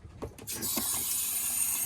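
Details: Geo Pro 20BHS RV after replacing the water pump's blown 10 amp fuse: brief clatter then steady even rushing hiss of water at the faucet as the pump supplies pressure; normal water flow.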